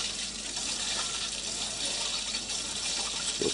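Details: 1986 RainSoft Q2 water softener: even, steady hiss of water rushing through the valve with no knocking or chatter; regeneration flow normal, softener cycling normally.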